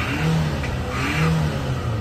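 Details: Engine started after a suspected coolant leak, given two quick throttle blips as a final test: revs climb and fall smoothly with no squeal on the rise, sounding healthy.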